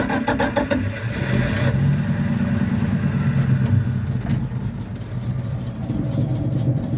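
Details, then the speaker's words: 4x4 Dodge truck (Little Red Express clone) with a carburetor, first drive after reviving: a rough, lumpy idle that sags and wavers, a weak idle, and it won't take throttle; first gear is hard to engage. Switching the carburetor vacuum ports later seemed to help. "far well the second you try to give it some throttle it doesn't want to go kind of a pain in getting that first gear"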